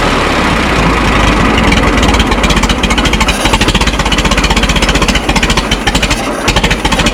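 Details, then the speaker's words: Minneapolis Moline Z tractor after rewiring, choke pushed in: heavy, slow, even chuffing firing pulses dragging out toward the end, laboring; owner suspects low idle set screw, idle speed too low. "All right. It seems like it has a like a really slow idle."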